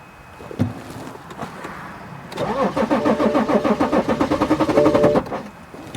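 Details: 2011 BMW X5 3.0 L diesel, towed in with crank no start: a few clicks then starter churns at even rapid beat about three seconds, engine never catches; exhaust back pressure rises to about 685 mbar while cranking; cause under diagnosis.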